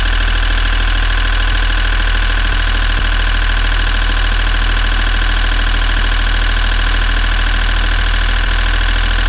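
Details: Sailboat diesel after refilling the fuel filter bowl so fuel reaches the filter: a steady, even idle with a regular low thump of about 200 per minute and no misses or knocks; it sounds healthy.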